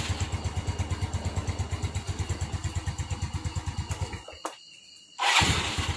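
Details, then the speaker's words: Motorcycle after a starter fault, fixed by reconnecting a disconnected wire: steady starter whirr with even pulses about three per second, a brief pause, then the engine catches and idles smoothly; normal cranking and start. "Nah coba, nah ini starternya udah nyala lagi."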